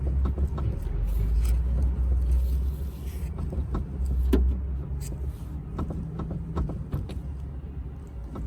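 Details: BMW 530d xDrive (F10) body rocked by hand to reproduce a knock over uneven roads: irregular sharp clicks and knocks, about three a second; tyres show cupping; sway bar or control arm suspected, not confirmed.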